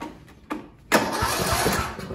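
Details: Sears Craftsman tractor with a Briggs & Stratton single-cylinder OHV engine, 12.09 V battery: short cranks, then a longer pulsing crank that never catches; crank-but-no-start, later traced to a fouled spark plug.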